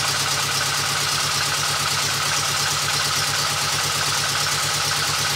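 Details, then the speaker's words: VW Golf 2 GTI with Digifant injection, at idle after swapping to smaller injectors; runs exactly the same, lumpy uneven idle with a steady stumble about three times a second, as if one cylinder is missing: misfire, cause still unknown. "comme tu l'entends sur la vidéo elle tourne exactement pareil on dirait vraiment qu'il manque un cylindre"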